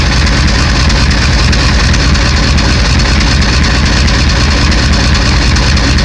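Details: 1991 Ford 7.3 IDI diesel: deep, uneven clatter at idle with no steady firing rhythm; rough idle, owner suspects bad injectors.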